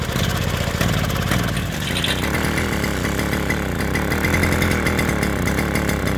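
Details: Vintage mid-1970s Victor two-stroke lawn edger, engine previously stuck, run on pre-mix: quick, fairly steady buzzing idle with slight waver; running and sounds healthy.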